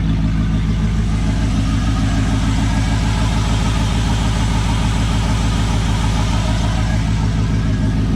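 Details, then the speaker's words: Nissan Patrol with an LS1 V8 swap on its first start after sitting, on a freezing day: a deep, even V8 burble at a fast cold-start idle, steady with no stumbles, and healthy running. "But she is running. Holy shit. Idling pretty smooth. So it's got a cold start idle obviously"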